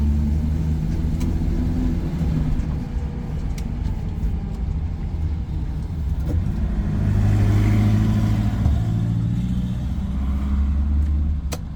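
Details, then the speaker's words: 1983 Nissan Patrol barn find, stored for years, on a short slow driveway test drive: low, uneven rumble with the beat stumbling under light throttle. Engine still misfiring and running poorly, tune-up needed; noisy gearbox also audible. "You might be able to hear it. It still has a misfire."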